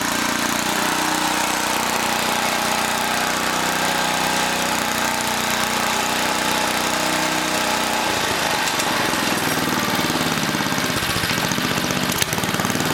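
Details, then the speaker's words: 1980 rototiller small engine with manual choke; raspy buzzy speed that turns ragged and uneven, not holding steady; throttle linkage suspected. "something wrong with this throttle link i'm gonna move this handle up"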